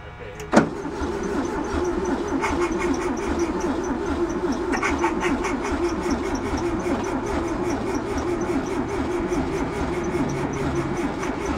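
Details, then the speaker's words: VW bus that sat 31 years in a field, battery charger wiring removed: steady starter churning with rhythmic compression beats about seventy a minute, no catch. "Crank her again. There's a spark, but it's light."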